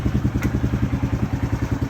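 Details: Polaris RZR 170 youth side-by-side after stator repair, still on the jack, battery a little weak; previously took about five minutes to start: even steady putter about twelve pulses a second, no knocks or misses; normal healthy idle.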